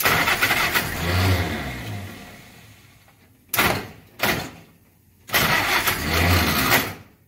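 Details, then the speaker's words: First start of an engine after a last-minute carburetor setup with choke, fuel delivery not dialed in, smoke coughing from the oil bath air cleaner: uneven, harsh starter cranking bursts with coughs that slow on later tries. Starter sounds rough, possibly loose or misadjusted. "That starter does not sound good. I don't know if that's just normal, it's loose, needs adjustment, or what."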